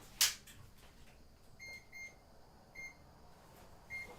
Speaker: works you guys can see is blue and you can hear the beeping